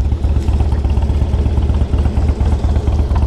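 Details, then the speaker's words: 2003 Harley-Davidson Electra Glide Ultra Classic, stopped at idle: lumpy V-twin idle at about two beats a second with a loose tinny rattle on each pulse, from the front exhaust cover held on by small hose clamps inside. "I'm going to show you what that what that rattling is it's that right there it's that exhaust bracket right that cover right there"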